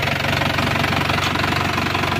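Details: Isuzu Panther turbo pickup after total restoration (engine and injection pump set, turbo replaced, fluids flushed), previously stalling often: steady, evenly spaced diesel firing pulses at stable idle, no misses or harsh clatter; normal diesel idle.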